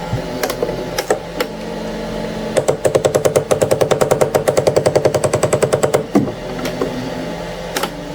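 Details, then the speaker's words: Anycubic ACE Pro filament unit, first slot with white filament, retracting: rapid train of sharp clicks, about two dozen in three seconds; feeder gear skipping and grinding, gear placement suspected, not confirmed. "It's sensing now, so it's gonna, yeah, that grinding. You guys see that? So this thing is grinding."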